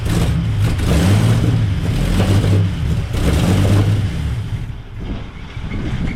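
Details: 1939 Buick coupe 248 straight-eight running after coil replacement and points check: steady low beat with clean throttle blips, no knocks or misfires; sounds healthy, though small oil leaks were found afterwards.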